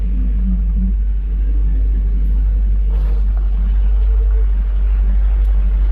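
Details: Freshly rebuilt 454 Big Block Vortec Chevrolet V8 in a custom pizza truck, first start: deep, steady idle with an even rumble and no knocks or misses over outdoor background; oil pressure rock solid near 50 psi, runs well.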